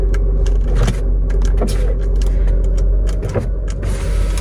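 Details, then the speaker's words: 1990 BMW E34 535i barn find after years sitting, engine running after fuel-system and wiring repairs: power window steady motor whir with light clicks, no grinding or straining; regulator not bad, normal power window operation. "this window Works oxygen and it doesn't sound like the window regulator is bad"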